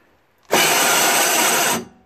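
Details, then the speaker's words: Toro 38602 Snow Commander snowblower electric starter on extension-cord power after priming: harsh scraping grind just over a second with no cranking rhythm; starter gear teeth stripped and not engaging. "know what that's scraping yeah something wrong with that electric start man it sounds like a lot of scraping noises so the teeth are all gone"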